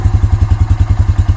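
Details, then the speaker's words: 2006 Honda TRX350 ES Rancher ATV, which only clicks on the electric start, started with the manual recoil: a steady, even thumping idle of about eight beats a second with no misses, knocks or rattles. Engine is healthy; a starter motor fault is suspected. "You always always have the manual one. So it starts and runs good."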